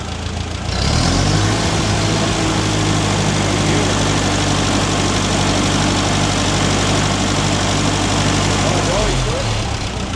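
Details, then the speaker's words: Restored Ferguson TE20 petrol tractor with fuel now flowing freely; short crank then steady even low idle without hunting or misfire; runs normally, though it later cut out suddenly, coil suspected. "Ah, she sounds good."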